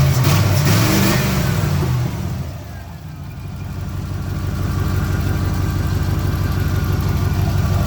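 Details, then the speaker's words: 1987 Camaro IROC-Z, running again after a bad wire was fixed, timing slightly off: deep, even V8 rumble dipping then climbing smoothly as throttle opens, no knocks or misses; healthy revving, idle to be raised. "the timing's off slightly but she sounds good"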